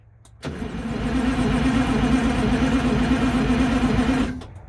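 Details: MCI MC8 diesel bus, sat about two years, started from front controls with rear start controls not working, coolant low, batteries suspected weak: heavy steady cranking about four turns a second for four seconds, some smoke, never catches; crank, no start.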